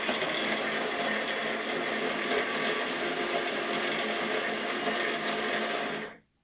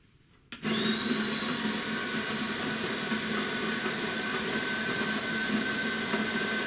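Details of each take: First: DeLonghi ECAM 22.110B Magnifica S coffee grinder (conical burr) runs with a harsh, rattling buzz and uneven churning, then stops abruptly; a blinking exclamation mark shows, and a foreign object in the grinder is possible. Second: DeLonghi ECAM 22.110B Magnifica S with a newly replaced burr grinder: an even, steady grinding whir for about eight seconds with no scraping or knocking, running quietly and evenly after the repair.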